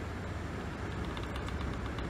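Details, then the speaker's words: Old electric fan motor from a school, long left sitting in one position; shaft has bored down through its bronze/babbitt sleeve bushing, giving a faint quick light knock over steady motor hum, usually much louder. "okay hear that he's got a rod knocking now that fan motor has been sitting in that position for who knows how long"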